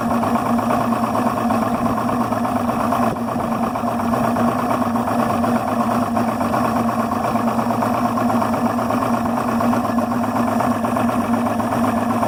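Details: Yamaha 300 HPDI outboard idling at 400–500 rpm: uneven lumpy beat with wavering hum instead of smooth running; rough idle, cause unknown.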